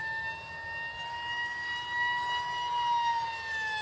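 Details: ZOHD Alpha Strike 620mm RC plane on a 4S 2200 50C LiPo, flying past fast at full throttle: a steady high-pitched propeller scream, audible from far away, drifting lower as it passes; the loud prop is suspected, not confirmed.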